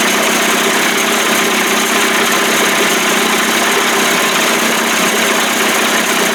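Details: 1989 Johnson Tracker 25 hp outboard warming up on restart: steady even buzzy two-stroke idle, no misses or surging; old cracked p-tube leaking at connection; owner suspects fuel pump may not be drawing fuel.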